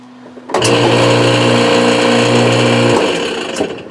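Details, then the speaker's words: Sears Kenmore model 70 washer in spin cycle: gritty motor drone for two seconds while the drum does not spin; broken motor coupling (owner also suspected a locked gearbox), fixed by replacing the coupling. "as you can tell this thing is obviously not spinning and it's making a grinding noise so I suspect that there's two things wrong here one is my gear box is locked up and I broke this little coupler thing right here"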